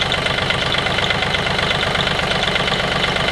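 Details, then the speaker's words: Sailboat diesel engine idling: faint repeating high squeak about three a second, not a click; crew suspects the belt, though it looks fine; source not found. "i do hear it it's a squeaky sound yeah it's not a clicking it's no it's yeah it's like something is squeaking yeah and the only thing i can think of is belt"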